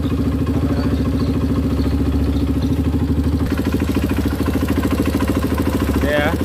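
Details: Honda CRF150 after a new rebore, test idle after fixing an oil passage blocked by the gasket: quick, even thumping at a steady idle with no top-end rattle or ticking. Oil flows freely and the engine runs smoothly.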